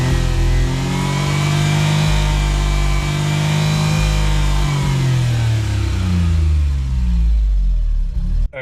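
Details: Suzuki Cara/Autozam AZ-1, DOHC F6A, on a drive under load: engine stumbles and cuts out at a fixed, changed rev ceiling with a low droning brrr; lean then rich at cut; fuel system or valve float suspected, unconfirmed.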